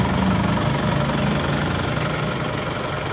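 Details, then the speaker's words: Diesel from Madiun (AD plate) at idle after second engine teardown: new genuine seals fitted, old rockers reused; even clatter, no sharp tapping, much smoother than before. "hasilnya Jauh lebih halus dan juga bebas biaya perbaikan"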